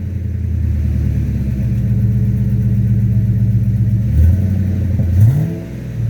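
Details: 2009 Ford F350 V8 after fitting a new Flowmaster muffler: deep even idle burble, then two quick throttle blips rising and settling cleanly with no rasp or leak; exhaust healthy.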